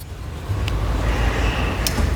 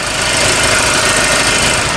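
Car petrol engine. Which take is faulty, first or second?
first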